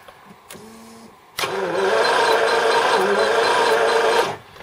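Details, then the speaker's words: 1981 Jaguar XJS, not run in about six years, cranking after ignition repair restored spark: steady starter churn about three seconds with light even ticking of injectors pulsing; fuel pump working. "yep I can hear injector's clicking now put it all back together and see what happens"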